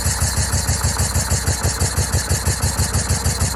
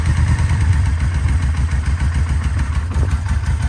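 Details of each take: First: 2004 Yamaha VMAX with 4,400 km, unstarted for over 15 years, first start attempt: lumpy, uneven chuffing with cylinders dropping out; misfire from one bad ignition coil and two bad spark plug leads, the coil later replaced along with mismatched plugs. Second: 2004 Yamaha VMAX V4 with 4,400 km, unstarted for over 15 years, after a full rebuild: deep, even idle with a steady lumpy beat, no misses or knocks; healthy running.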